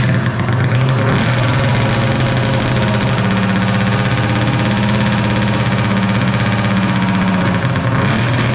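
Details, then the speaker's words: 1995 Polaris Storm 800 two-stroke triple snowmobile, 1,500 original miles, 130 psi compression: fast, busy idle that won't settle, idling way too high; runs well on top end; carburetor air screws to be adjusted. "you can hear that it's idling way too high"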